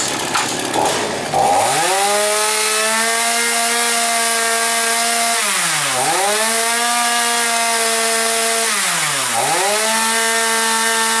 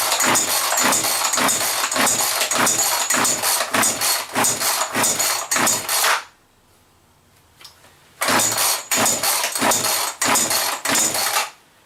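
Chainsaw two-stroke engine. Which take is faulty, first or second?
second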